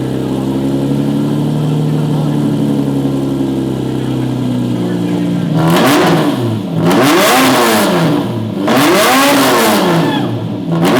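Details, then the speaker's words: Movie-spec Fast & Furious Lamborghini Murcielago with its existing exhaust: raspy, blaring revs rising and falling, harsh and droning rather than musical, a straight-through unmuffled exhaust that owner plans to remove. "okay did you hear that huh yeah that does not sound good at all and I don't want to have a Lamborghini sounding like that so I can't wait to take the exhaust off"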